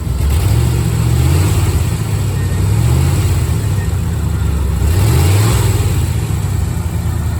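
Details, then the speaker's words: 1987 C4 Corvette after replacing a failed water pump that had caused overheating and a grinding noise, coolant refilled: even idle with two clean revs that rise and settle smoothly, no knocks, ticks or squeals, staying cool. Normal revving. "Running really nice. Staying nice and cool. Okay, that fixed our problem. This Corvette is running great."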